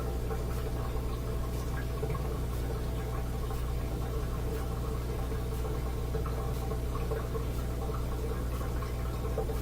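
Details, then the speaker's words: Bosch Axxis washing machine that won't go to spin during its cycle: steady low drain pump hum with water gurgling through during a diagnostic test; the drain pump is working fine. "And to test the motor, so the drain sounds good."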